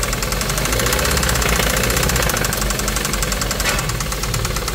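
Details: 2017 Hyundai Kona 1.6 T-GDI petrol engine running with a loud, sharp, hard metallic ticking clatter like a diesel, far noisier than a normal petrol engine.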